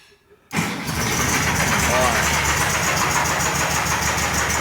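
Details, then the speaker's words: VW Beetle (Fusca) bought with a freshly rebuilt engine, started from inside the car: fires and settles into a loud, rough idle with uneven knocking clatter about four times a second and new vibration; cause not yet found. "Deixa eu ligar aqui que eu vou mostrar para vocês o barulho já dá para ver gente já de dentro do carro de tão alto que tá o barulho"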